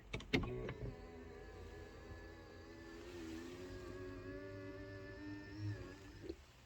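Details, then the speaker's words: BMW 7 Series power mirror motors: a click, then a smooth, even whine at steady pitch for about five seconds, stopping cleanly; both mirrors working normally. "see that perfect both of the mirrors are working"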